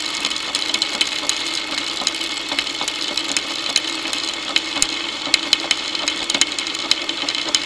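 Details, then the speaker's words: Motorcycle drive chain running unlubricated, heard through a homemade electronic stethoscope microphone: dry, busy chatter of sharp uneven clicks over a high rattle. Owner suspects chain needs lube, wrong tension, dirt causing grabbing and jumping, or a worn front sprocket. "this chain could probably do with a bit of lube so let's listen to the chain running without lubing it and then put Lube on and see if you hear it quiting down"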